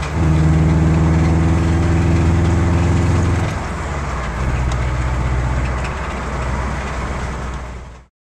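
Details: 2006 Subaru Impreza: after a clunk on the 1st-to-2nd shift, a steady rapid knock about three a second runs through idle. A litre of 5W-30 added didn't help, the knock worsened, and it now stalls within seconds. Engine knocking.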